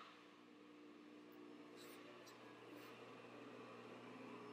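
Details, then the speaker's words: 1942 GE 2-pole motor after a rewind with a new inverter-rated winding, following insulation failure: quiet steady hum with constant pitch, no knocks, rubbing or grinding, running smooth. "sounds good and runs smooth so let's give it a paint job"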